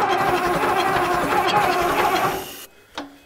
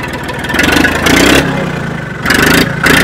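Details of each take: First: Old Case diesel tractor (called an 1896 Case), battery dead, cranking only on jump boxes with the intake heater on: an uneven starter grind with a rough loping beat for over two seconds, then it cuts out; cranking without firing. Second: Old Case diesel tractor (called an 1896 Case) that had been struggling with a poor connection finally starts: the engine catches and surges, revving up and dropping back a few times, then quits, likely out of diesel.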